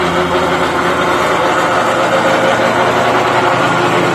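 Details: X-Mark zero-turn riding mower engine runs steady and busy with a loose, fast rattle from under the deck; cause unknown.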